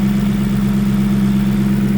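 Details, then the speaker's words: V8-swapped BMW E46 idling cold with no coolant in, and not revved. A steady, deep, even drone with no knocks or ticks: normal cold idle. "I want to rev it just to clear some smoke out, but at the same time it's cold and has no water in it."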